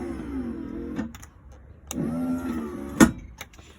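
A short electric motor whir runs about a second, pauses, then runs again with clicks at the ends; the step works normally.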